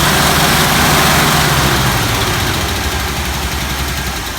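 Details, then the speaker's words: 1964 Buick LeSabre Wildcat V8 on its first start after 28 years on blocks, using ether, old spark plugs and no coolant: a deep, even burble with a steady beat and no knocks or rattles. "It fire up, it sounds very nice. I don't think there's a lot wrong with it, Ron."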